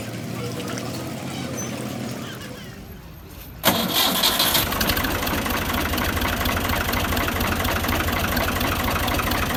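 Quiet lead-in, then the engine catches at about four seconds and settles into a steady, even idle with no knocks or rattles.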